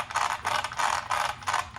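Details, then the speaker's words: Arrma Senton 3S RC truck after slipper clutch service, spur swapped for Hot Racing metal spur gear: raspy metallic chatter in even bursts about three times a second as drivetrain turns, pretty loud; normal metal-on-metal gear mesh. "rocking and rolling. Pretty loud. That's that new metal on metal gear."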